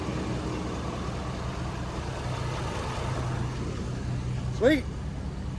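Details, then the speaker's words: Ford F-250 6.7 L Powerstroke diesel after fuel filter conversion: low steady idle rumble with an even beat, no knocks or misses; healthy. "sounds good to me sounds good to me it took a little bit of start to I mean not even that bad honestly so"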